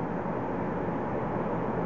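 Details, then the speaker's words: Payne high-efficiency gas furnace with no-heat fault, blower run via control board test (igniter works, no gas): steady even whoosh with soft low rumble, no rubbing or squeal; blower motor normal. "the fan is working turn off the fan"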